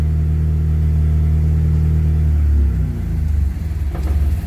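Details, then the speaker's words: 1995 Mitsubishi Eclipse, manual, just fitted with a new clutch, in neutral: a steady deep idle, then the note drops and goes lumpy as the clutch is released, and the car creeps. Engine loaded in neutral, cause unknown. "my foots on the clutch this is in neutral now watch when I let go of the clutch"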